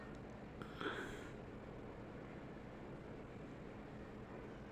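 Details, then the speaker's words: Palit GTX 1050 Ti 4GB GDDR5 graphics card after replacing the MOSFETs and IC: powers up and displays with a quiet, steady low hum, the previous MOSFET buzzing gone; repair successful before burn test. "okay okay as you see it displays now so the Ving sound is gone okay we have a successful repair so I will now burn test it"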